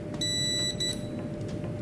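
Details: UPS after repair (faulty resistor replaced), green light on instead of red: two short, clean high beeps about half a second apart over a faint hum as the unit switches; normal switch-over chirp.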